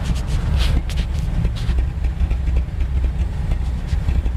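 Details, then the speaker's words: 1980 Mercedes 450SL after rough-idle repair, not yet warm, idling at 600 rpm, microphone moved to exhaust; low, even burble with steady beat, no misses or hunting; smooth normal idle. "that's how it's running now. It's at 600 and it's smooth, probably smoother as can be."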